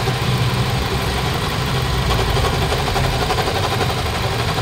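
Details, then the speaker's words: A 2020 Toyota Innova 2.8 diesel (1GD) idles with a rough, gritty rumble over the clatter. A stethoscope check traces it to a worn front alternator bearing, a common fault on these engines. "Okay mga boss so alternator bearing ta iche-check na rin natin yung pulley pero ang pinakamaingay po yung bearing ng ating Toyota Innova na 2.8"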